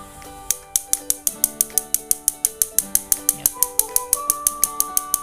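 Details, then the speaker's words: Sugo infrared gas stove during repair, igniter wired to battery and igniter module, igniter inside the burner: sharp even tik-tik ticks about five per second over faint music; spark igniter firing normally. "Oke, di situ bisa kita dengar ada bunyi tik tik tik tik, itu adalah bunyi pemantik."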